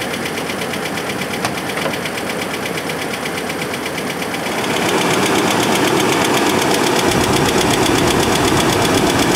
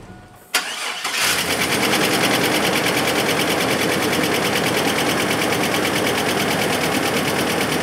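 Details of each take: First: Chevrolet S10 engine running before a motor flush: steady, sharp tick-knock about four times a second that grows louder; started as a slight tick, owner first suspected an exhaust leak but doubts it. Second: Chevrolet S10 after a GUNK motor flush that removed heavy oil sludge: brief crank, catches cleanly and holds a steady idle with light, even valvetrain patter and no knock; the earlier tick, first blamed on an exhaust leak, is gone.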